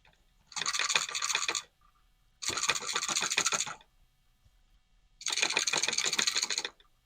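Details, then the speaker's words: ID-Cooling DashFlow 360 XT Lite 360mm AIO pump: bursts of fast gurgling and rattling come and go as the radiator is moved to purge it, with lots of trapped air churning through the pump. "You can hear all the bubbles going through. Yeah, that's a lot of air in there."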